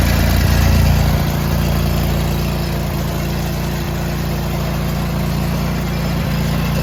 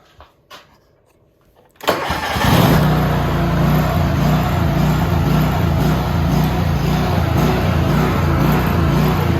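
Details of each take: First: John Deere tractor with snowblower attachment, after fixing a worn, bent metal piece that made the belt pop off: deep even drone, steady beat, no belt slapping or flapping; tractor and thrower running smoothly. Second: Worn John Deere tractor with snowblower fitted, PTO running after the belt tensioner was freed: steady drone with a faint recurring lurch as the drive belt pops off every few seconds; cause is a worn, bent-down belt guide; the belt also has cracked ribs.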